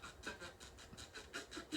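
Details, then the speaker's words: Heathkit AR-15 solid-state receiver under repair, FM tuner on the right channel, same on AM and FM: hissy output swelling and fading four to five times a second; pulsating audio, tuner section suspected. "and as you can hear it still doing that uh that pulsating sound so i think uh let's see so i think the next thing i'm gonna do is um so obviously we have some kind of problem with the tuner section"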